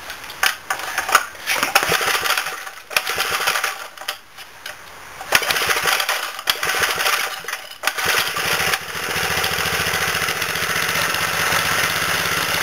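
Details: 1989 Briggs & Stratton 3 HP single after a rebuild with a new connecting rod and dipper: a few rough starting bursts, then a quiet, steady, even run with no knocks; it sounds healthy.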